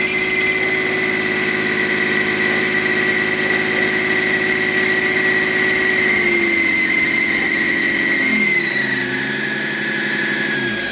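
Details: BMW E38 M57 3.0 diesel with a rebuilt turbocharger whining like the old one; steady high whistle that bends and fades as revs drop. Unplugging the variable-geometry control valve connector silences it, reconnecting restores it; cause not confirmed.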